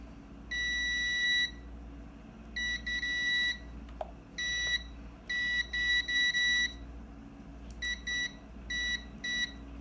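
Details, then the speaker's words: Kärcher WD 1 vacuum that will not switch on, motor winding being repaired: the continuity tester's beep keeps cutting in and out in uneven bursts. This shows a poor, intermittent joint on the very thin winding wire. "como pueden ver ahí en marca todavía un pequeño falseó"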